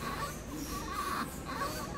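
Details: Toyota Hilux SW4 in the shop, microphone held near the noise after a ball joint was replaced with an original part: short, thin high-pitched chirps come and go over faint background; squeak, source unclear.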